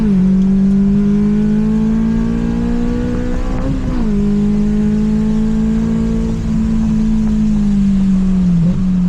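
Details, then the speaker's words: Honda S2000 AP1 that the owner recently got running again, driven on a track to hear it. Strong engine note climbing with revs, dipping at a shift and rising again, no knocks or rattles. Normal engine under acceleration. "he recently just got it running and he wants to hear what it sounds like as it drives by"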